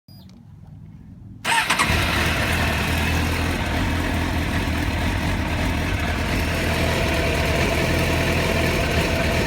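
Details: Suzuki GSXR 750 K3 motorcycle engine idling unevenly, stumbling as if about to stall; the hesitation began after a fill-up, appears after a few minutes of running, and also occurs under throttle, cutting power.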